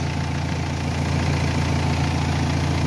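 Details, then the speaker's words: Renault Espace 3 2.2L, alternator test: steady, even idle that keeps running with a battery terminal removed, the alternator supplying the electrical system (about 14 V); the note changed slightly as the alternator began charging and loading the engine. Normal idle, healthy alternator. "Ben, le bruit a changé. Vous savez pourquoi? Parce que l'alternateur, quand on a mis sur la batterie, il a commencé à charger et le moteur, il a commencé un tout petit peu à freiner le moteur."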